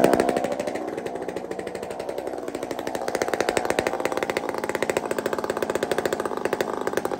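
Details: Chainsaw with muffler taken off a Tin Man 66 saw, cold: loud rapid popping two-stroke beat, ragged and uneven at first then steadier, smoking a bit; splutters until it warms up.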